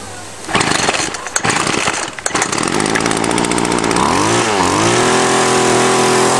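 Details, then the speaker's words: Two-stroke weedeater string trimmer after taking the carburetor apart and cleaning its varnished strainer screen: sputtering pulls, then a steady high buzz with clean revs; working well. "okay i've fixed the fourth one now it was just broken fuel lines and a dirty carburetor let's see if she fires up working perfect"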